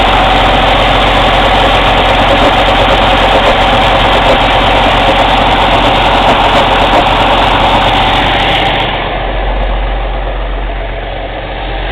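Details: Cummins ISX CM2250 diesel idling during regeneration: loud, sharp rhythmic aerodynamic chuffing from the intake, about four per second, easing off near the end, no mechanical noises; possibly turbo chuff, source unconfirmed.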